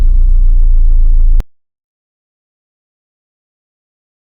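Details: Volvo 480 after cleaning a worn distributor cap: starter turns the engine over evenly for a second or so but it never fires; crank no start.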